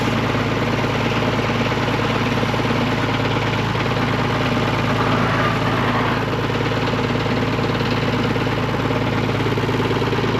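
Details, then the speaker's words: Tractor at low idle while raking hay in summer heat: rough rattling chatter from the front hydraulic pump, recently replaced yet never right; needs higher idle to get fluid to the front pump, cause unconfirmed. "If you hear that chattering, that's that front pump chatter. We just had all that replaced and I don't know. I feel like it's never worked 100% right since we got it. It's really got to be idled up in order to get fluid up to that front pump."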